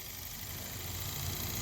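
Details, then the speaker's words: 1992 Chevy Silverado C1500 blower motor bench-tested on jumper wires through low and medium: steady, even whir with no rattle, squeal or catch. The motor itself spins freely, so the original no-fan-speed fault was blamed on a bad blower motor. "See, low, medium, medium. So yep, it's just a bad blower motor."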